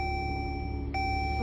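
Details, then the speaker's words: 2012 Dodge Journey at startup, battery light on and charging around 17 volts, ABS and other dash lights on, blower on, stereo dead: steady electronic warning chimes, pitch shifting; overvoltage later traced to a broken wire under a wire strap. "So right now, see the battery light right there? It's charging at like 17 volts. This right here means there's something wrong with your voltage regulator."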